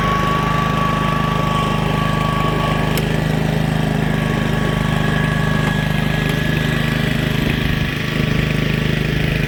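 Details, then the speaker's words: Old Honda HRA215 SX self-propelled mower, slightly wet: even, steady putter at about three firings a second with no misses or knocks; normal, healthy idle. "Purrs like a kitten."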